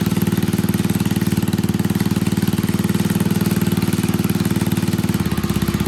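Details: Old Troy-Bilt Pony rototiller on a temporary battery, running on fresh gas: quick, regular single-cylinder thump at steady speed with no stumbles or hunting; idles normally.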